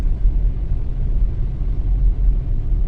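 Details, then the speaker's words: Nissan Teana after repair of engine shaking, stumbling and poor acceleration with no fault codes (throttle body O-ring and coolant leak addressed): road test with steady, even low engine rumble, no misses or surging, accelerating and running normally. "วิ่งดีครับไม่มีสะดุดเร่งเครื่องปกติวิ่งปกติครับผมเสร็จแล้วนะครับ"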